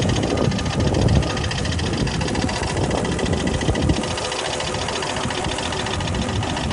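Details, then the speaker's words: 1996 Volvo 850R, automatic, 214,000 miles, idling stationary with steady RPM: fast even ticking over the engine note, newly appeared; cause unknown, owner also concerned about overboost and smoke from the oil dipstick. "that clicking noise is new but it wasn't doing that a second ago yep that's that"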